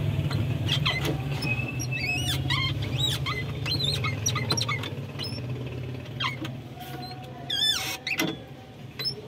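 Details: Mitsubishi L300, engine idling: sharp squeaks with each clutch pedal stroke, pedal stiff and loose; suspected worn clutch pedal bushing.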